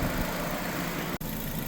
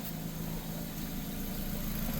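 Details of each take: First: 2006 Nissan Sentra 1.8 L idling while burping the cooling system after a water pump replacement, near operating temperature (about 200°F) with radiator fans just on: steady, even idle, low unchanging hum, no knocks or misses; running properly. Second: 2006 Nissan Sentra 1.8 L warming up while the cooling system is burped after a water pump replacement, block near 200°F: steady idle with a faint, fairly regular light tap on top; source of the tap unclear.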